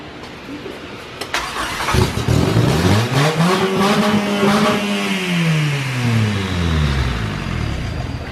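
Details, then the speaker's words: Engine with its cylinder head JB Welded on in place of a head gasket and started with no head bolts: revs up and drops back with a light rattle over the exhaust note. It has some compression; rattle source unclear. "it's got some compression I'll sound a bit rattler"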